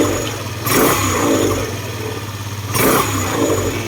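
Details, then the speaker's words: Scooter that had been sputtering and stalling, after the owner tightened a loosened side screw he believes is the air adjustment: two quick throttle blips rise and fall back to idle smoothly with no sputter. "Parang nag-open ngayon hinigpitan ko siya meron siyang oing nung hinigpitan ko siya tumin yung andar"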